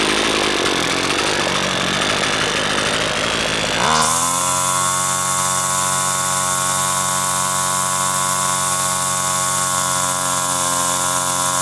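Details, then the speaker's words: Husqvarna two-stroke string trimmer after its carburetor was disassembled and reassembled (diaphragms serviced), tested with the air filter off: after a few seconds of startup it settles into a steady, even high buzz with no surging or misfire. Normal running after repair. "yeah a okay I think that's got it I think that's got it"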